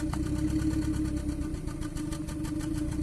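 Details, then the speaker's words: 2014 Kia Cerato that cranked without starting and had overheated, idling with injectors disabled one at a time: rough uneven chuffing about four puffs a second, deepening; misfire on cylinder 1, intermittently also others. "هذا دليل على شنو؟ ان المسفاير كان في السلندر الاول، هذا عليش لما وقفنا عليه ونفس الصوت استمر."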